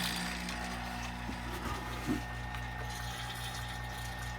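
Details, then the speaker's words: Suzuki SX4 AC system after compressor replacement: vacuum pump running with steady even low hum, pulling vacuum on both low and high side lines; normal operation. "you hear the pump that's just putting a vacuum on the lines so both the low and high side are under vacuum"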